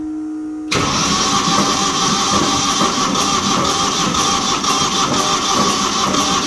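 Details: Old diesel light tower generator, sitting for years, after replacing a fuel hose: starter cranks steadily about three turns a second but never catches; air in fuel lines, fuel not reaching injectors; owner hopes injectors aren't stuck.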